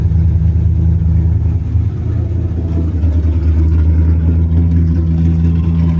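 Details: 3rd-gen Camaro 305 TPI V8 after fixing a crank-no-start: steady, even low rumble with no misses or knocks, settling into a smooth healthy idle, now starting and running with the injectors plugged back in.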